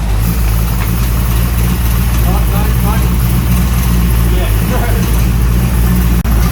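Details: Steady, even low V8 burble around 800 rpm, no misses, knocks or ticks, on a 350 Chevy freshly installed in an HQ Holden ute with headers; initial timing set to 10 degrees with vacuum advance disconnected; smooth healthy idle.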